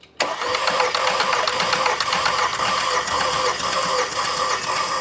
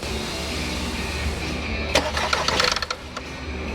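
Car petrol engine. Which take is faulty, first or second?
second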